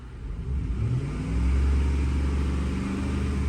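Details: Ford F-150 with a 5.4L V8 and a cylinder 8 (bank two) misfire: it had lost power, shook badly and smelled of raw fuel. A deep rumble rises and wanders, never settling, during a scanner balance test. The cause is a faulty ignition coil.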